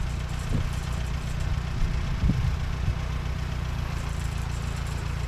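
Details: Co-op E3 tractor (about 1947) after years of sitting, later start, chains off: steady low even idle with a few brief early bumps, settling smooth; healthy, though fuel leaks.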